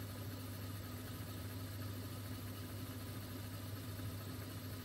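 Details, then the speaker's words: Mastertronic water analyzer, second rinse of reference fluid test, empty motor draining the reaction chamber until air bubbles appear: quiet steady low hum, no rattle or pitch change; drain pump running normally. "now it will empty again you can see the empty military starting and emptying here and you will soon see air bubbles again just wait for that and do nothing"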